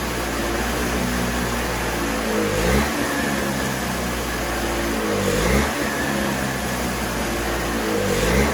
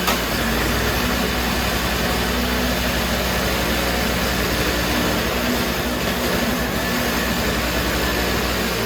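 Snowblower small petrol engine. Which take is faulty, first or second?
first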